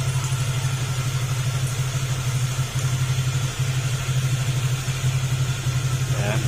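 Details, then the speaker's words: Honda Click 150 scooter after cylinder head replacement fixed an exhaust leak, warm idle while coolant added, aftermarket muffler: steady, deep throbbing exhaust beat, no puffing or ticking; normal idle, previously very loud. "Ayan, back to normal na yung kanyang tunog. Pero yung muffler niya mga sir ay aftermarket po yan. Kaya ganyan yung tunog."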